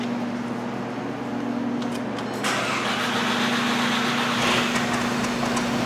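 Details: 2010 VW Jetta 2.0 turbo petrol with P0301 cylinder 1 misfire, heavy smoke, rich exhaust: steady starter drone for a couple of seconds before catching, extended crank, then rough uneven idle.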